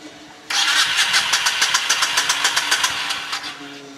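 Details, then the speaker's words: 1997 Honda VT1100CH V-twin, revived after sitting three years with varnished carbs and a tightly set float level: engine catches and settles into a lumpy, even beat with no misfires or backfires, normal idle. "But anyway, a couple months later, here's what the girl sounds like."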